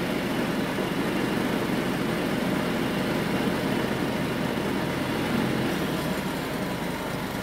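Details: John Deere riding mower engine after carburetor refitted; formerly ran only mostly choked. Now idles out of choke with a steady, even low rumble, no stumbles or surging, holding speed: problem fixed.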